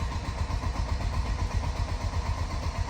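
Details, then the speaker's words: 1986 Mercedes 190E 2.3-16 barn find, first crank on a jumper pack, said to be running when parked: starter spins engine briskly at about four even pulses a second, no hesitation; compression sounds really good, cranking normal. "Yep, this cranks over no problem. I mean, it didn't hesitate at all."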